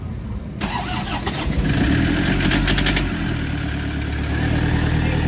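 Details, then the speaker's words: Toyota Hiace diesel after fixing crank-no-start with codes P0087, P0107, P0400 (EGR reading issue); cranks briefly, fires promptly and settles to a steady even idle, slight knock from incomplete fuel bleeding expected to clear after calibration; normal start and idle. "So maririnig mo yung andar ng makina. Ayan ah sobrang okay so yung naking guys dahil yan sa hindi pa gaano nabi-bleeding na maayos ang kanyang kaya maririnig niyo start pa lang malakas na yung nacking mo konti pag na-calibrate na yan okay na yan"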